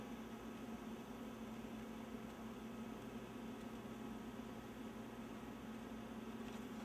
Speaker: I know it's still waiting because I can actually hear it like the pitch of the wine in here is changing and the paper lights blinking a very fast blink so it wants something in the manual feed tray